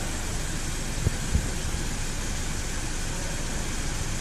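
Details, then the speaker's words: 2008 Audi A6 after cylinder 3 ignition coil checked and new engine speed sensor fixing misfire and 100 km/h vibration; quiet even idle, smooth steady hum, no stumble or shake, no engine light; healthy. "Start car, No let engine light on. It's starting very well."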